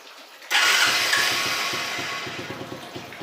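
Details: Dafra Zig 50cc scooter started on the button with brake pulled; sharp start-up burst, then quick even putter settling into idle; starts cleanly.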